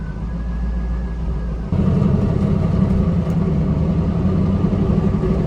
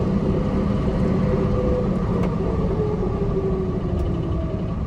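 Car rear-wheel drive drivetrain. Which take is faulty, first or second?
second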